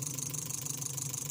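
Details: 2016 Toyota Avanza after ECU and immobilizer repair (engine wouldn't start, no coil/injector signal, immobilizer light flashing): steady, even idle with constant hum and smooth hiss, no misses or knocks; engine now starts and runs cleanly.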